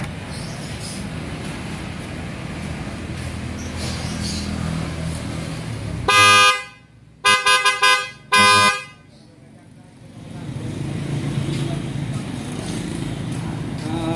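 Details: Newly installed replacement horn on a 2021-on Mitsubishi Pajero Dakar, tested right after wiring and grounding: one long blast then two short clean toots over idling traffic; strong, steady, normal horn.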